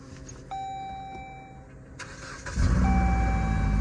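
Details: Dodge Journey first start after battery replacement: chime, then short crank that catches cleanly and settles into steady low idle; starts normally.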